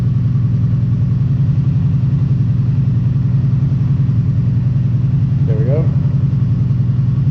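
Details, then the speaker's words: Kawasaki Brute Force ATV idling with the spark arrestor screen removed. Loud, open, throaty exhaust bark at a fast, even idle, reading about 65 dB on a sound meter. Loud idle without the spark arrestor. "alright looks like it was dancing around like 65 or so on idle"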